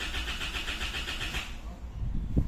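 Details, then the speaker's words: 2016 Isuzu MU-X that died while driving and stalled repeatedly, after key and battery replacement and a possible loose connection: steady whirring crank for over a second, never catching; crank no start, cause unconfirmed. "Gumalaw na. Start natin ha. Start. Ayaw talaga pumalo"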